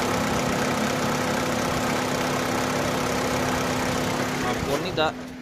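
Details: Opel/Vauxhall that had a crank-no-start problem, now running properly: smooth settled idle with a steady hum, no stumbles or knocks; normal idle.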